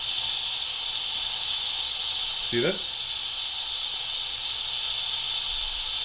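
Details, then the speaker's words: WMF pressure cooker, steam released by pulling the handle back to open the valve: even, high-pitched steady hiss of steam venting normally and slowly under high pressure. "so if I pull this back I open this bottle there then I can slowly release the pressure"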